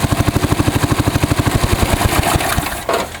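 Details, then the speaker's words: John Deere 110 round-fender lawn tractor, believed 1965, 4-speed in neutral, with a new fuel line, fuel filter and oil change, carburetor not cleaned: even, rapid single-cylinder thumping with no misses, then it winds down; runs pretty good. "So that is how it runs. It runs pretty darn good."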